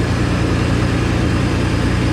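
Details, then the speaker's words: S10 build idling right after PCM swap with repinned harness, security, governor and emissions programmed out, not yet dyno tuned: starts right up much better than before; smooth steady idle, cooling fan whirring, no misfire or stumble. "wow she started right up a whole lot better than what it did before"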